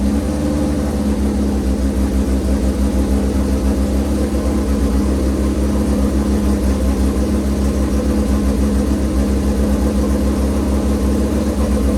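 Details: Shovelhead V-twin motorcycle idling after a choked start with fuel on: steady, loping big-twin idle with an even low thump throughout and no knocks or misses; the engine is running healthy.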